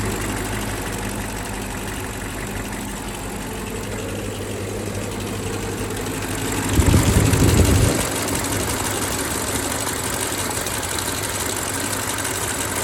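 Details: BMW X5 E70 with the drive belt removed: smooth, even idle with a steady low hum, a brief louder surge midway, and no rattle or tapping, confirming the rattle came from the water pump's worn bearing, which has play on its pulley.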